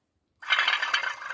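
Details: Car wheel bearing spun by hand: rough, gravelly growl with an uneven pulse, loud while driving, yet the hub is tight with no play; owner suspects the inner set of bearings and plans to press it out.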